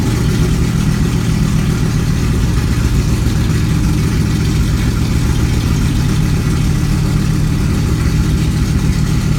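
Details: Kirkham Cobra KMP #174b cold start, fuel pump primed to about 5.5–6, out of gear: deep, steady low burble holding an even idle with no misses, knocks or rattles; running cleanly and healthy.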